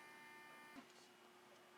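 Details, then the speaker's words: Prusa MK2S upgraded to MK2.5S, firmware self-test of endstops: faint steady stepper whine cuts off with soft tap at the endstop, then quiet hum; X axis homes cleanly. "X looks good. Y is good. And now we'll check Z."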